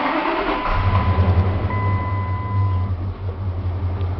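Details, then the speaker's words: 1999 Dodge Ram 1500 5.2L (318) V8 with an intermittent crank sensor wiring fault causing no-start and rough running: right now it is at a smooth, even idle with a low rumble and no stumbles, scope on crank, cam and coil. "okay she's running pretty smooth right now"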